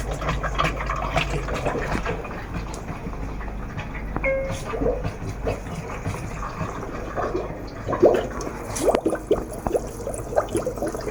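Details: Fluval FX6 canister filter pump with worn impeller inside the motor: gurgling water over low hum with irregular knocks, vibrating and pulsing; cleaning may help, but replacing the impeller fixed it.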